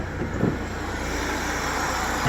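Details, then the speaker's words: BMW E36 318ti with supercharged M44 four-cylinder, started after sitting a few months: smooth, even idle with a steady low rumble and no knocks, ticks or misses; runs and drives well. "supercharged. It actually runs, it drives great."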